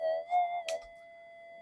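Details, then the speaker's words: Standard unmodified Minelab GPX-5000 metal detector in normal mode over iron and Dunolly soil, after a frequency scan: steady high threshold tones wavering, with chirpy bursts of interference noise breaking through. "normal mode standard detector. And you can hear the amount of chirp coming through."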